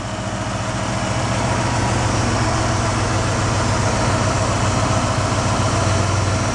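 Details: International 345 V8, freshened engine after new lifters fitted for lifter noise, good oil pressure: deep even idle with steady low rumble and only occasional faint tap at idle; running smooth.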